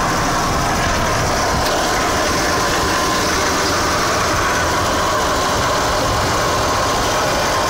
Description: RX-8 Engine noise